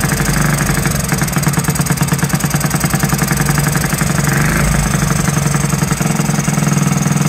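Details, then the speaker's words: Honda Z50 starting for the first time in 35 years: fast, slightly uneven single-cylinder idle with a thick, burbling exhaust. It is running rich; the owner guesses the slide needle is set too high and the air screw needs adjusting. "wow running rich though I can hear [Music] it"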